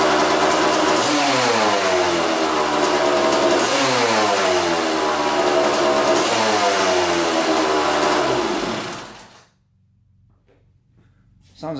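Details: Old Kawasaki two-stroke dirt bike that had sat unused, first run on fresh 40:1 mix with new fuel line and aftermarket carb, no air filter; crisp revs sweep up and down cleanly without misfires, then shuts off; coolant leaking.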